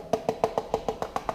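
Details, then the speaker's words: Peugeot 103 moped fuel tank tapped about seven times a second: dull, hollow plastic-like sound instead of ringing steel on both sides, as the whole tank is rotted through; a pen pushed through it. "Il a un bruit de plastique, c'est parce que tout le réservoir est pourri."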